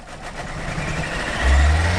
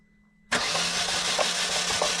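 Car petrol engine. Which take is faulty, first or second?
first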